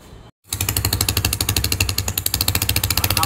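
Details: TVS Apache RTR 150 after clearing a blocked air line that caused overheating and exhaust popping: even, steady single-cylinder exhaust beat, firm and regular with no misses or popping; runs clean after repair.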